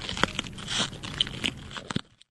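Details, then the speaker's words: Marine Corps IMTV ESAPI ceramic armor plate held next to the ear and twisted at opposite corners in a four-corner check: dry irregular crackling and crunching means internal cracking, plate must be returned and replaced. "holding the plate next to your ear firmly twist and torque the plate repeat on the other Corners you should be listening for any crackling in the plate it will sound like"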